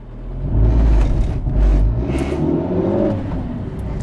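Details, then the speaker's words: 20-year-old Renault Kangoo 1 van, front right: deep droning vibration-like rumble swelling under load/traction, barely heard outside; not clutch, gearbox or wheel, worn right engine mount, replaced. "l'on a l'impression que ça vibre en fait ça ne vibre pas ça fait un bruit de vibrations"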